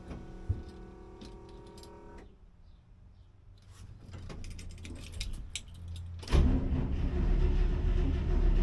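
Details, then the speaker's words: 1963 International 304 in a 1964 IH Travelall C1100 on a newly installed Holley Sniper EFI, first start: the starter spins at a steady churning rate but it won't fire; the handheld shows no RPM signal, so a wiring or setup error is suspected. "RPM signal. You either have an error in the wiring or the system set up."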